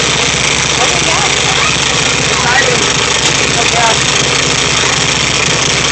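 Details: Rebuilt VW Type 3 1600 cc single-port flat-four, first start after rebuild, after an earlier backfire: steady even idle with a busy raspy top end and soft low pulse underneath; normal idle.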